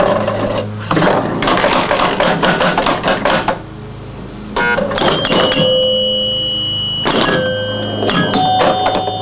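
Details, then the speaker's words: 1977 Gottlieb Bronco electromechanical pinball under restoration: once the AX relay fires, the start button now triggers the game; rapid relay clatter and stepping with ringing chimes run through the full cycle, normal reset sequence. "so now it's actually resetting the game if I fire that manually but it should be firing when I press the start button so let me start it now works"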